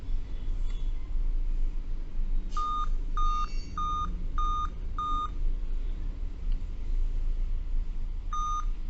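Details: Dell Vostro 2520 laptop (DV15 MLK motherboard 11280-1), continuous beeping despite correct date and time: five short even beeps around 1.2 kHz looping over quiet room hum; five-beep POST code tied to RTC section and PCH RTC in chipset.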